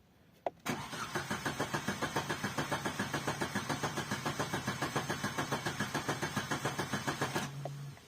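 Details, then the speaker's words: Opel Corsa Z14XEP with check-engine light on: starter spins the engine at an even three to four compression pulses a second for seven seconds, never catches; owner concludes fuel supply failure, coil pack the other suspect. "That's the problem I have. So I know it's the fuel. It can only be two things. It can either be coil pack or it can be fuel."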